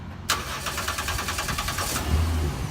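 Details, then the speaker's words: Crank-no-start truck with starting fluid sprayed into the air cleaner snorkel: engine catches sharply, fires unevenly about a second and a half, then dies, showing ignition is okay and the fault lies in the fuel system. "started and ran for a brief second that tells me now I need to go look at the fuel system on this car the ignition systems okay"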